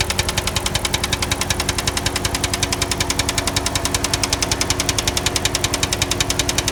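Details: 2005 Chrysler 300C 5.7 Hemi at idle: sharp, even ticking about three and a half per second over steady idle, repetitive top-end tick of unknown origin.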